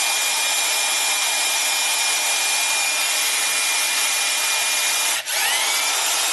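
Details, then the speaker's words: DeWalt electric impact gun, about 20 years of hard use, after a repair with new brushes being run in. A smooth, high whir with a brief stop and restart; no visible sparks now, and the motor sounds even and healthy. "we're going to run these brushes in and um after we run them in everything's should be good"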